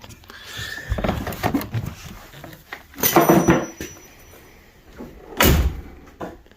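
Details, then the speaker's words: 1999 Chevrolet Suburban GMT400 door after new hinge bushings and door pin roller: a few solid shuts, each a clean single thunk with firm latch catch, no pop or creak, no adjustment needed; normal door closing. "It just shuts. You can hear it hitting the back of this latch. So I think that'll be okay. I don't need to make any adjustments there. It looks level and shuts good."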